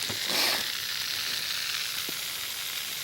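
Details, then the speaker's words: Steady high-pitched hiss from a leaking main drip irrigation line. The owner hears another leak nearby and suspects another snapped-off pipe connected to it; not confirmed. "on this one no leaks on that and and do you hear something here I'm hearing I'm hearing another leak somewhere I can hear it it's in here somewhere"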